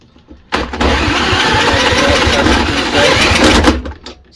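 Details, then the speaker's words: Mountfield HP474 mower with RV150 engine that over-revs, governor vane missing and cable stretched: fires and runs hard for about three seconds, then cuts out. The kill microswitch is sticking and not clicking open properly. "all right so this minecraft switch is always a problem on these so i'll push the lever in there and show you you see that's not opening up properly you want a nice firm click out of it"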